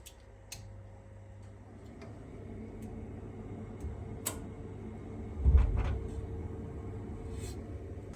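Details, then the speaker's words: Newly fitted central-heating circulating pump, replacing a weak, pulsating old Grundfos pump on a never-serviced system with boiler flow pumped downward: quiet, steady low hum with faint clicks and no pulsing, running smoothly after the repair. "So pump's running. The way it works, just in case you want to know, you've got flow from the boiler coming up here, goes down, then the pump basically throws it downwards."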